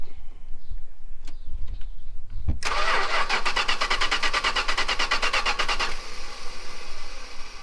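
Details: 440 big-block V8 from a 1974 Chrysler New Yorker, cranking with no key, ignition tumbler being worked to find the contact spot: quick, even starter chugging for three seconds without catching; ignition switch suspected of not feeding the coil.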